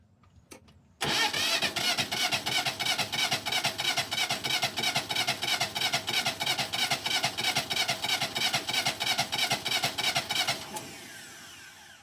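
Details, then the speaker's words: Kubota L210 tractor diesel, new starter just fitted, cold day with extra glow plug: strong steady cranking about three beats a second for ten seconds but never fires; owner suspects air in the fuel system after running out of fuel. "Well, it just doesn't want to start for me today, which is the typical for this. I think I got some air in the system, and I can't get it bled out."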